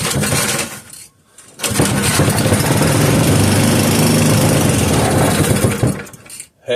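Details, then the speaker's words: 3hp Briggs and Stratton horizontal-shaft engine, unknown condition, on a cold night, started with fuel added directly into the cylinder: after a pause it pops and catches into a rough, quick chugging run for a few seconds, then dies. A first start. "hey well that's it folks she runs okay now we're not going to end the video there"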